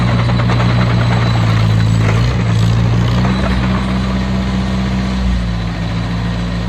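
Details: Oliver Cletrac OC3 crawler with a freshly broken-in engine, warm after a loaded truck-drag run: a deep, steady low drone with an even beat and no knocks or misses. Normal running.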